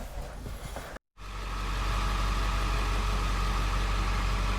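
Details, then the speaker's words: 2001 Ford Excursion running in gear after the transmission rear seal fix gives a steady low engine and drivetrain rumble. The earlier loud squeal is gone. "okay well now she's running and she's actually you know she's going nowhere fast but what you don't hear is the squeal"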